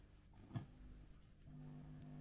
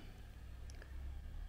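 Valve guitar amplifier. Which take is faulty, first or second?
first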